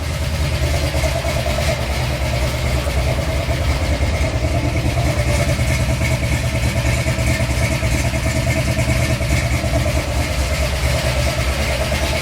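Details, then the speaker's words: Chevy 350 V8 after valve adjustment and slight carb adjustment, idling in gear: deep steady rumble, even and fairly smooth with slight roughness left, still needs tuning; annoying valve noise remains, owner suspected a hydraulic lifter. "sounds more happy in gear we still got some tuning to do no doubt but I think she's half here"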